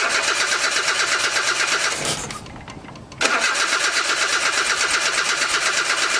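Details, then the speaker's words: 1982 Nissan 720 King Cab truck sitting about 35 years with a carburetor issue: cranks, drops out, then catches and runs ragged; stuck carburetor floats flooding it, rough start. "i don't know if the floats are so stuck that they're not letting any letting the gas get up there let's see oh man it just it just floods it those floats are just so stuck"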